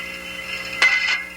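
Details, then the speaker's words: Thermodynamic steam trap on a normal cycle: a crisp metallic click as the disc or piston opens, a steady hiss and rumbling rush while condensate passes, and another click as it closes. The trap is working normally. "in thermodynamic traps that click will be heard as the disc or piston open as long as it remains open you should hear a rumbling sentence as the condensate passes through the trap"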